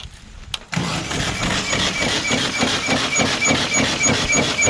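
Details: VW engine in a dune buggy, run without oil, cranks at a brisk even pace about three beats a second but never fires; the crankshaft is suspected broken.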